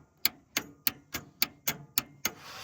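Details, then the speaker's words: Willys Hurricane engine, starter reinstalled despite a very worn bushing and jumped via the exciter wire: sharp single clicks about three times a second with no cranking; starter tries to engage but won't turn the engine. "That's a big N O. It sounds like it's trying to engage."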